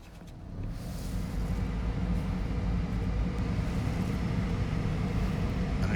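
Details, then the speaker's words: 2004 Mercedes SL55 AMG R230 HVAC blower after cleaning and lubricating the shaft to stop the cage rubbing: on highest setting a steady, even rush of air with low hum, no clicking. "know if you can hear that, which it's probably good that you can hear it, but it's just the blower doing its thing and no clicking. It's on the highest setting."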